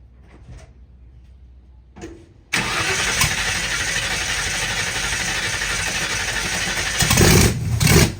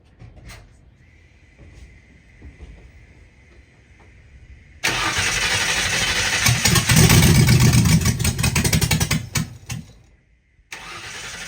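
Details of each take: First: 1960 Ford F100 shop truck with carburetor and open header, first start in years: cranking then a sudden catch into a loud, rough open-header roar with blips; starts under its own power and sounds healthy. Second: 1960 Ford F100 shop truck, first start in years, carburetted, open header; starter churns steadily about six seconds and never fires after earlier header fireballs; owner suspects stuck float, jets later found clogged; fuel starvation.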